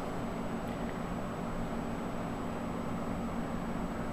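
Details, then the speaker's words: Small computer cooling fan after its sleeve bearing grease was diluted with Marvel Mystery Oil; it now spins with a steady, even whir and low hum, no rattle, normal fan operation, good as new. "don't feel any rattling whatsoever other than the normal operation of the fan fans good as new"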